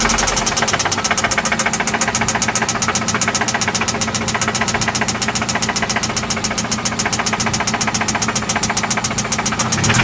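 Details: 1995 Toyota Celica ST idling after an oil change and spark plug replacement: a loud, steady, sharp ticking knock around three to four per second over the idle; it seems to come from one spot, and its source is not yet pinned down.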